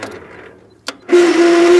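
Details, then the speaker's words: Gravely 20G tractor, unstarted since November, on jumper box with dead battery, choke on, throttle at idle: starter cranks with strained, steady mid-pitched whine under a second; dry starter needs oil again. "the starter needs oil again listen to that"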